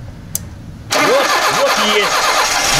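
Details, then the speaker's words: VAZ 2121 Niva with a Solex carburetor: the engine catches after a pause and runs rough with no steady idle. Flooded engine because the idle cut-off solenoid gets no voltage from a faulty electronic control unit, which needs replacement. "на клапане нет напряжения на клапане напряжение нет"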